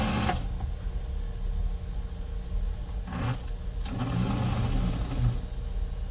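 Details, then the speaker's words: Rebuilt #322 toy steam locomotive electric motor running, surging gone after the rebuild. Steady small-motor whirr at even speed with only faint unevenness. Normal running. "I mean, again, that's the sound of a happy motor right there. There we go. Everything's moving smoothly."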